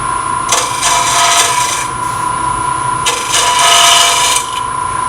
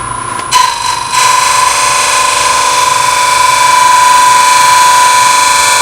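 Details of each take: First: Lathe turning an open segment vessel at relatively fast speed, tailstock out, very light cuts with a smaller gouge; reaching the bloodwood layer below oak, steady scraping cut with fast uneven rattle (3–4 per second) as segments bounce – gouge chatter. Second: Open segment vessel on lathe, back on oak after bloodwood layer; very light cuts with a narrow negative rake scraper, steady motor hum and even shaving hiss with no chatter – smooth light scraper cut, preferred sound.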